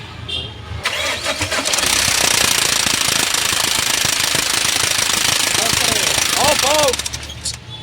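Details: Mahindra Scorpio mHawk diesel started after timing chain marks were set, before the timing cover was refitted: catches quickly and settles into an even clatter at about four beats a second with no chain rattle; runs fine.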